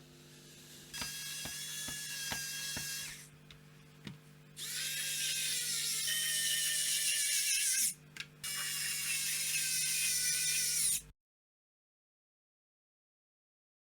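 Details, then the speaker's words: Sony D-EJ621 portable CD player after repairing battery-terminal corrosion that stopped it powering on: light clicks then clean disc spin-ups as the sled centers and focus servo bobs the laser; normal operation. "The sled returns to the center and the focus servo bobs the laser up and down trying to focus on the CD, and the laser should come on as well."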